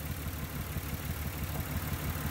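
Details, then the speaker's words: 1994-1999 Nissan Maxima misfiring at idle with faint uneven lope; unplugging the center ignition coil (swapped to confirm) causes no change, so that coil is bad and its cylinder already dead. "it doesn't change. The motor has no variation. So that lets me know that this one is bad."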